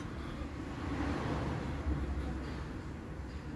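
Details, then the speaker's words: 2016 Hyundai ix35 front suspension: dull, uneven low clunks as the worn front sway bar end links are knocked by hand; both sides to be replaced. "e eu tô batendo as duas bieletas nós vamos estar substituindo elas dois lados olha o barulho que tá fazendo"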